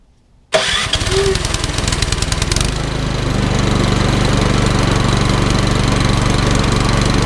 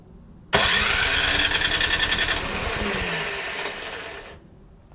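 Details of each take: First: Troy-Bilt Storm 2410 snowblower with Power More engine, after carburetor service for stale-gas fouling and idle screw adjustment: starts quickly and settles into a steady, even run with smooth low beat, no misses or hunting; healthy. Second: Troy-Bilt Storm 2410 snowblower, Power More engine, sat all summer with stale gas, after a carburetor clean: after the pull, with choke, it sputters roughly a few seconds and dies, flooding and spraying gas; a fault missed during the carb cleaning.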